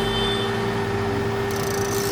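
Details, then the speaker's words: Yuken KDRDE5K proportional solenoid valve (~17.9Ω coil), 12V DC, plain PWM driver controlled by SG-03S 0–10V signal: steady buzzing hum, fixed pitch, valve vibrating; normal coil hum from pulsed drive. "It is humming. It's actually We can see the humming. It's vibrating, right?"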